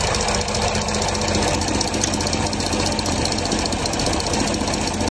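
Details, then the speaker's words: 2010 Dodge Charger running: a fast, light metallic rattle from a loose cap under the EGR valve, a defect or wear. On a new EGR valve, the cap does not move. "Este es el nuevo el ir nuevo y esta tapita es el que hace el ruido"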